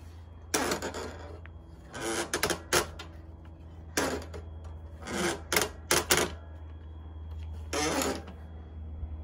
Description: This late 2015 double bike trailer makes a loud squeaking noise & is fairly sticky (not smooth movement) when the red parking brake lever is switched/flipped on and off.